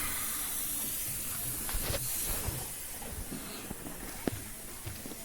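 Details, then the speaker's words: 45-year-old 2.8L Vauxhall Royale coupé, rebuilt engine, running hot: a steady hiss and spray over a quiet engine with a few clicks. Coolant is escaping under pressure from the known bad thermostat housing; a replacement is coming. "Now that's not good. That is hot. That is pressure. That's just blown a hose. That's not good. Okay, that's that bad thermostat housing that we already knew about."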